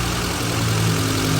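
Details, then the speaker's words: Honda CR-V 2.4 engine after a repair job: it starts easily and settles into a smooth, steady, even idle with no misses. It is expected to quiet further once oil circulates. Normal idle. "โอ้โหนี่สิขึ้นมานิ่งคลิปเลยครับตัวนี้เดี๋ยวสักพักนึงนะขอน้ำมันขึ้นก็จะเงียบลงอีกนิดนึงครับ"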